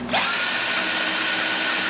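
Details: Dyson V8 Absolute after clearing shredded paper jammed in the intake nozzle that caused pulsing: motor spins up fast to a high, even whine and holds it without surging; running normally.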